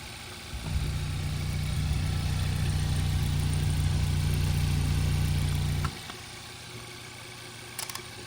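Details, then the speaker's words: 2012 Hyundai Veloster G4FJ 1.6 turbo, first start after engine teardown and rebuild for knocking: fires and settles into a smooth, even idle with no knocking, then shuts off cleanly; healthy, no leak seen underneath. "the first starting is good and I'm really happy with that sound oh good I'm happy"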